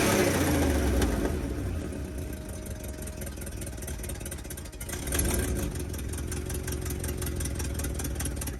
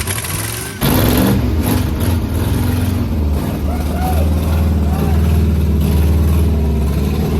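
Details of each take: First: 1980 International Scout II with a formerly seized engine, now running and burning off crud and diesel from the cylinders: catches and settles to a steady, even idle, picking up cleanly on throttle blips; sounds healthy, though it still needs a carburetor. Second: 1980 International Scout II, abandoned with rust in cylinders, first start after sitting: catches at once into heavy, slightly uneven low chug, very smoky as diesel put in the cylinders burns off; also a major ATF leak.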